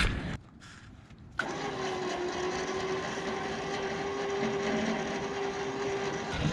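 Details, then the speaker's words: Trailer winch pulling a 2003 Chevy van onto a car trailer; steady mid-pitched motor drone under heavy load, sounding laboured and strained; winch doesn't sound good, cause unclear. "you're gonna go off the trailer that winch doesn't sound too good i probably should've tried"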